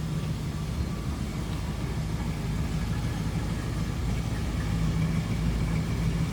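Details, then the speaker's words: 1966 Ford Mustang coupe, 289 V8, no crazy exhaust, idling just after cold start, temp gauge not yet up: deep, soft, even V8 burble with steady low rumble, no ticks, misses or knocks; sounds pretty good, healthy. "That was a cold start, so I won't expect the temp gauge to be up. Sounds pretty good."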